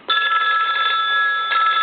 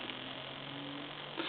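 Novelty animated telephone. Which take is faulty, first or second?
second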